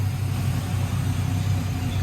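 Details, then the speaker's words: Engine that sat for 3 years, restarted after bent flywheel pieces were bent back: steady low idle rumble, no scraping or knocking, running well with slight valve chatter that may go away. "And this thing actually runs really good. It sounds good. You get a little chatter from the valves, but it's been sitting for 3 years."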